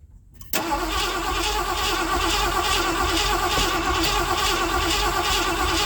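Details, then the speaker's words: 1979 Ford F-100 that sat for years, bad-smelling gas, fuel pump fed from a line into a gas tank: steady cranking about three pulses a second testing if the pump delivers fuel, no firing; cranks, no start, fuel starvation suspected. "Let's see if the fuel pump works, shall we? I got to crank for a few minutes obviously, but"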